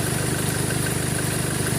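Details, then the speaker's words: 2013 Chevrolet Colorado at idle, with the A/C high-side pressure over 200: a steady, rapid tick rides over the even idle, from a jumping, ticking alternator pulley; a worn pulley, fixed by replacing the alternator pulley. "At saka bukod doon sa talon, mayroon siyang pitik na parang ginanon."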